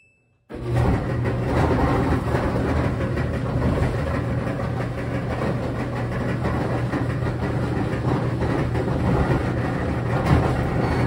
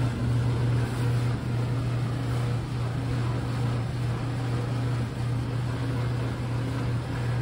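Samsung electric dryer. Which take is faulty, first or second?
first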